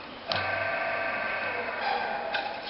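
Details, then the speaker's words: Single-phase capacitor AC motor, supply on black running winding: hum fades as it coasts down, then two sharp clicks as the centrifugal switch reconnects the red starting winding below about 75% speed; normal. "अब हम centrifugal switch की आवाज़ सुनेंगे। जब इसकी speed 0 आ जाएगी, 75% से कम speed आएगी, तो उस वक्त स्विच के कनेक्ट होने की आवाज़ आएगी।"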